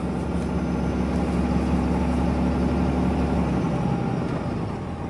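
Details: 2012 Ram 2500 Cummins diesel, warmed up, normal test drive: steady diesel drone with a faint, even whistle on top; turbo spooling normally.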